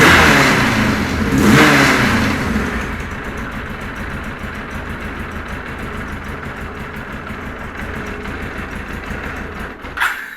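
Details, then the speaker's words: Kawasaki KZ1000 police motorcycle, cold, choke off; a brief rev hangs, then it sinks into a lumpy uneven idle that stumbles irregularly; it runs rough, won't run right, cause still unknown after extensive testing. "obviously that's with the choke off but it just does not want to run"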